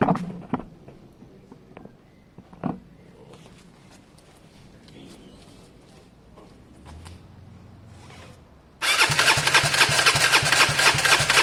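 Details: Gilera DNA 125 scooter cranks after a completely new coil and lead were fitted: a few faint clicks, then steady harsh starter whirring that never catches or fires; still cranks but won't start.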